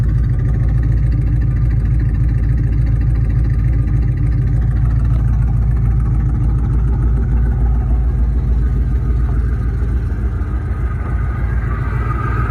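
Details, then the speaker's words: Ford Mustang 2V V8, first start in months after crankshaft and bearing replacement for a knock: deep, lumpy idle stumbling every few pulses; misfire at idle, owner suspects intake manifold. "I need to find that Miss I believe that Miss has a lot to do with that intake manifold"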